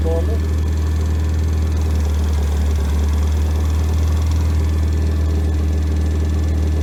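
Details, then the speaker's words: Freshly rebuilt Triumph Spitfire 1500 four-cylinder on engine stand, head shaved to about 9.5:1, .270 cam, idling about 800 rpm, fuel pump clicking, oil about 60 psi dipping below 50, temperature about 190: smooth even drone, no knocks; normal. "so that's fuel pump you hear clicking there about uh 800 rpms uh about 60 yeah about 60 pounds of oil pressure temperatures about 190."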